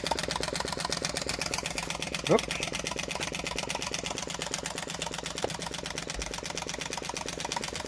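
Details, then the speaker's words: Flame Licker "Nick" model vacuum engine: fast steady train of light pops from the ball valve, several a second, over faint hum, speeding up; running smoothly. "hi welcome back this is my flame licker nick so you can hear the popping from that valve the ball valve"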